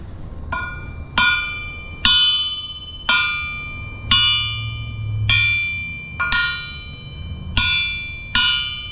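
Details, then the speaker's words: Crankshaft from a rusty 383 big block, run with spark knock and possible detonation, struck on the bench about once a second gives a short, slightly dead metallic ring from detonation exposure; still deemed fine for street use. "The reason that this crank sounds like that, a little on the dead side."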